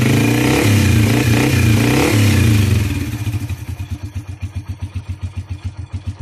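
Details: CT100 single-cylinder motorcycle after a tune-up with valve clearance set to 0.04 intake and 0.06 exhaust. It revs up, then settles to a steady, even idle of about 220 firing pulses a minute with no ticking or misses; normal running.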